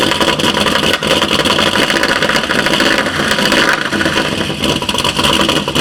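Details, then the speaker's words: 2012 Chevy Caprice PPV 6.0 LS V8, one month after DOD delete with stage 2 cam, new lifters and rockers, cold start, no misfire codes: fast metallic ticking over idle, louder with RPM; suspected driver's side lifter or rocker. "and it gets louder with RPM okay this was enough so now I'm gonna just go straight in and remove the valve cover uh on the driver's side which is uh sounds like that's where uh sound is coming from"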